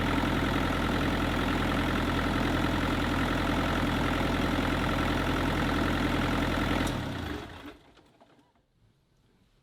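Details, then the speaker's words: Kubota KX121-3 excavator diesel idling steadily with a smooth low drone and no squeal, then shut down; after replacing and tightening the fan/water pump and A/C belts, the squeak from the back end is gone. "right guys so as you can see in the previous clip uh there was no more squeak and I am really happy now because the machine can operate quietly and no more Super annoying sound coming from the back end"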